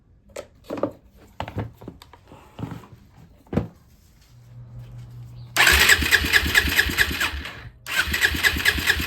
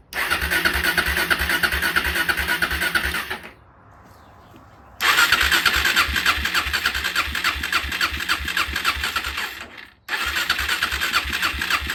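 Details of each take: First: Suzuki LTZ 400 ATV (believed 2004), sat five years, first start with a newly installed, bent Chinese part: fast cranking catches into a busy single-cylinder idle that stays high. Owner suspects that Chinese part is not adjusted properly. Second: Suzuki LTZ 400 ATV (believed 2004), sat five years, after idle adjustment, air filter and airbox not yet fitted: the small single runs at a steady, even idle with regular exhaust pulses and no stumbling. Normal idle.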